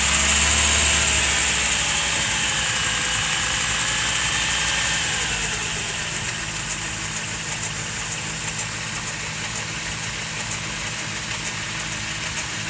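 Idle settles after startup with a fairly regular tick, nearly four per second, over a steady hum; the source is unclear.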